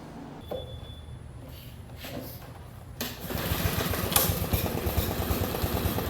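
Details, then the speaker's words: Lawn mower just fitted with a new aftermarket Amazon carburetor, other parts mostly new and filters clean: small engine catches but runs unevenly, taking about 20 seconds to pick up rpm, like fuel starvation; cause suspected, not confirmed. "It took forever to pick up RPM, like it wasn't getting enough fuel, and I just sat there and watched it. It took like 20 seconds before it started to go."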